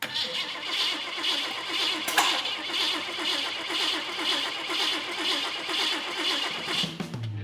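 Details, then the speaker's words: 1948 Packard lead sled, after fuel pump install and wiring check: starter cranking steadily at about one pulse per second but the engine never fires; crank no start, firing order issue suspected. "expected this thing to fire right up, just like it did when we first put it in the frame, but we're not getting anything. I say we got a firing order issue."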